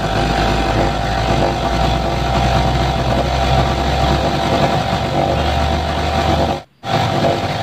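Loud, even petrol engine drone with a steady low thrum and no misses or knocks, apart from one brief dropout; the generator runs smoothly.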